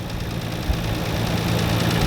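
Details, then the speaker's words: Nissan RB26 (solid lifters), imported 2016 and stored, after first 10 seconds of warm idle: rough idle with a quick light tick from the cylinder head, not lifter clatter; owner reports severe lack of power, oil good, no overheating. "and then after 10 second you can hear this ticking now I know the the rb26 they've got solid lifters I know they usually ticking louder than usual but this is not"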